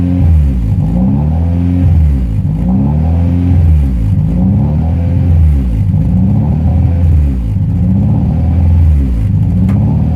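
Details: Honda Prelude H22 engine idle surging, rising and falling about every two seconds and never settling; attributed to a vacuum leak, concluded to be the intake manifold gasket after other fixes failed, recorded before replacing it.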